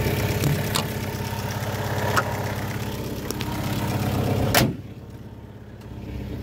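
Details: Fiat Punto HGT 2000 petrol engine, after a knock and breakdown following a hard pull and a new used coil fitted at the gas station: steady, even low idle rumble, no misfire or knock.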